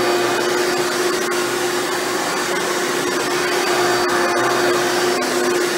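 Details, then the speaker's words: Hoover Elite upright vacuum after a motor rebuild with new motor bearings, test run: steady, even motor hum with constant tone, no rumble, rattle or wavering; runs much better than when first acquired. Normal running. "this thing runs much better now than it did when i first got it"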